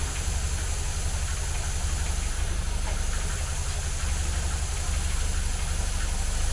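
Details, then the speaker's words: 1980 MGB with twin SU carburettors after mixture tuning and balancing, started slightly warm without choke: an even, steady, mellow idle with no misses or hunting, smoother than before the adjustment. "I'll be honest, it was driving alright before this, but it was never that smooth. And that sounds fantastic."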